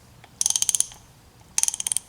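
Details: Vintage Snap-on S710 1/2-inch drive 32-tooth ratchet after rebuild with new kit, tested with a socket on: two quick bursts of about eight crisp, even, bright clicks; pawl engages cleanly and consistently, working properly.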